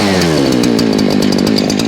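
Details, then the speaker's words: Husqvarna 572 professional chainsaw, newer AutoTune model, warmed up and running at high revs: strong even buzz at steady pitch without surging or stumbling, sounding better than the older 372; normal running. "Just a better sound, but I think it has something to do with the with that whole AutoTune thing."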